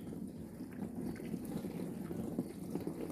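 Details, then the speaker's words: LG dishwasher after repair of the main control board for an IE (inlet) error: soft steady trickle and gurgle of water entering the tub, no buzzing or clicking; normal water fill. "now it is okay done perfect machine is running well without any problem"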